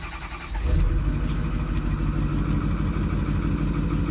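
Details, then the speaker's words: Engine being diagnosed for a misfire, relative compression test while cranking: uneven, lopsided cranking rhythm about three beats a second, one stroke lighter; a cylinder low on compression, to be confirmed with an actual compression test. "let's go ahead and go here and look it's it's uh pretty uh definitive right there with that uneven crank"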